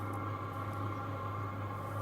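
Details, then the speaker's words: Hcalory Tool Box diesel heater running normally at setting eight of ten, already blowing warm air, on a 50 Ah battery; steady even hum with low drone and soft mid whir, no surging or knocking. "There you have it. This thing is doing what it is designed to do. Listen how quiet it is. It's already blowing nice warm air and it will get warmer because I have it on, you know, eight out of 10."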